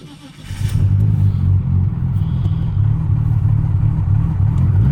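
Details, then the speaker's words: Car starting before a full remote tune. Fires after half a second and settles into a steady, even low rumble with no knocks or rattles. Oil pressure good; sounds healthy. "she's alive oil pressure good sounds healthy"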